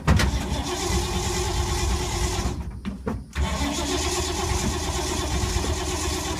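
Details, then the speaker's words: 1952 Ford, unstarted for a few months, smelling of gas: long steady cranking with a brief break then more, never firing or idling; owner suspects it is flooded; crank no start. "i think it made the mistake of flooding it hmm hmm things been sitting for a while i can title this one hard start video it's never been this hard to start"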